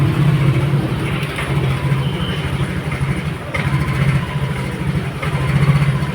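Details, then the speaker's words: Yamaha NMAX All New v.2 scooter, previously had throttle body work, starts normally but stalls when revved and nearly dies even at idle; uneven stumbling idle that sags. Ignition system fault, worn spark plug and plug cap inspected, causing misfire and stall. "อ่ะสตาร์ทนะครับได้ปกตินะครับแต่เวลาเร่งนะอ่าดับนะครับอ่ะเดี๋ยวมาฟังใหม่อ่ะจะดับนะครับยังไม่ได้เร่งเลย"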